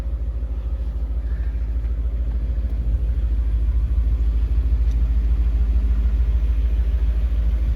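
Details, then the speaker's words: Fully restored BMW E39 M5 V8 with new intake, idling while not yet warm: deep smooth even rumble with steady low beat, no knocks or ticks; running perfect, normal warm-up idle. "you can see it's in really good shape look at that suede headliner alcantara whatever you want to call it i think it's actually swing it's running perfect"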